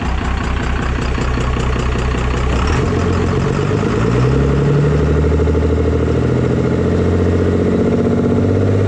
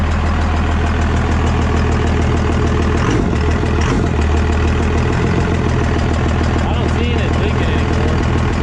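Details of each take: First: 24V diesel pickup after injection pump swap, pump timed to stock, not fully warmed up; steady low idle with loud hollow sucking and chuffing because the intake is off, noise goes away with intake fitted. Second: 24-valve Cummins diesel pickup just started after a P-pump swap: loud, steady, even low clatter at idle; running normally.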